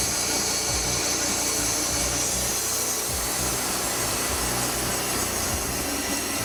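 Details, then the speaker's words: Wood-Mizer LT40 Wide sawmill cutting an old, dry, checked spalted maple log: steady saw hiss with irregular low thumps and scraping about three a second. The band cuts rough after hitting nails, leaving marks on the cut surface. "okay I'm sure you heard that kind of that sound and you can actually see it on the top of the log on the surface that he cut"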